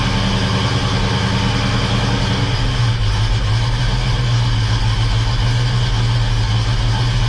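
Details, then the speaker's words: Freshly rebuilt 350 V8 in a 1969 Oldsmobile Cutlass, first start, new cam break-in held above 2,000 rpm for 20 minutes: strong steady even rumble at raised speed, no knocks or misses; healthy. "we started breaking in the cam and we need to keep the RPMs above 2,000 RPMs um so we had to do this for 20 minutes"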